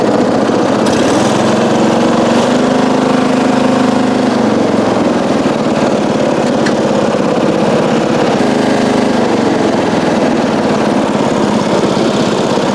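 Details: 1994 Coast to Coast riding mower with a Briggs & Stratton engine, revived after years abandoned, new spark plug, gas of unknown age, being driven: steady, fast, even single-cylinder run without misses or surging; normal running.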